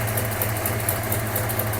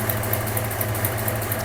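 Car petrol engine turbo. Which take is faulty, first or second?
second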